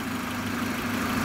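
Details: Car at idle after a workshop repair of a knocking/squeaking noise, in rain: steady, even idle hum with no knocking or squeaking. Earlier noises on this side now seem gone; a test drive is to confirm.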